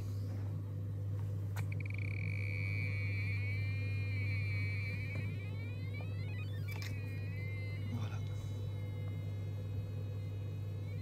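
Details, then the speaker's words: Desjoyaux liner pool: sonar leak detector gives warbling, gliding tones that rise and bend over a steady low hum as the probe nears the liner leak, louder closer, fading farther away. "avec mon détecteur sonard et bien je vais tout simplement passer et vous allez entendre le petit bruit bi"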